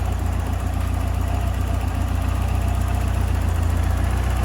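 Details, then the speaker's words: Ford Fiesta RS Turbo after 17 years' storage, cam belt done, running on a Renault 5 fuel pump: steady, even low thrum at warm idle with no knocks or misses; sweet-running healthy engine. "We've got a boned out car. A sweet running car."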